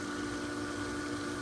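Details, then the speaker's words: Pentair Dynamo pool pump motor, a couple of years old, revived after freeing seized bearings/impeller: steady even hum with smooth water rush, no knocks or grinding; much quieter than the other, loud motor, running normally. "all right now that is way way way quieter than the other than life you never really realize how big of a deal that is until the high one is so loud"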